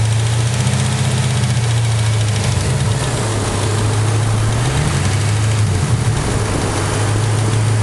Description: Collapsed lifter? bent pushrod? You be the judge.